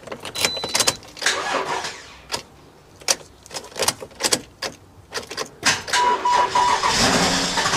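Choppy bursts of cranking for several seconds, then it catches into a steady run: starts fine once the jump pack is on.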